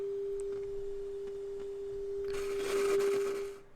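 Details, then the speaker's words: Sansui TU-X1 tuner after repair, AM section working: clean, steady mid-pitched tone near 400 Hz with very little hiss, probe on TP12, ready for final alignment; normal AM reception. "yep it's working perfectly so all we have to do is dial it in now and everything should be good"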